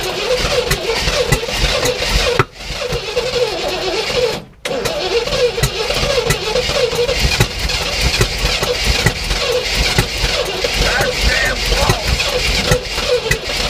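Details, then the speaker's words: 1967 Oldsmobile Toronado project with new spark plugs, plug wires, oil and filter: steady starter cranking with uneven churn and brief stops while the throttle is pumped, with fuel poured down the carb. It cranks but won't start. Fuel supply is suspected, not confirmed. "so keep pumping like that and then when it sounds like it wants to run i think just hold the gas down okay so that's gonna let a bunch of air and the rest of the fuel in to get it kind of running"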